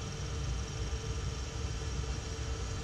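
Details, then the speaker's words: 2012 Jeep Wrangler JKU HVAC blower motor before replacement: steady low rumbling drone with faint constant whine and a slight chirp, blowing air but noisy; owner suspects the motor rather than the resistor, not confirmed. "it's blowing but you can hear it you know but it is noisy you can hear it it's"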